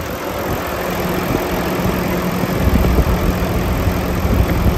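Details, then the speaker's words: 2018 Volvo VNL630 with a D13 engine and I-Shift, fully warm at 170° coolant temperature, on fast idle; even, smooth low rumble with no misses, knocks or blow-by; healthy diesel. "I'm going to put it up on fast idle the engine is plenty hot our temperature is 170."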